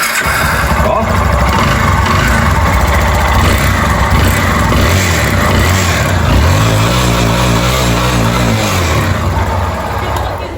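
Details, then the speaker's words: Yamaha Fazer 250 with engine noise, idling and revved: hard, hollow metallic knocking that sharpens when blipped, piston slap from a worn cylinder; cylinder kit, valve seals and full gasket set to be replaced. "É realmente tem um barulho a terrível Nessa ó tá batendo sai hein"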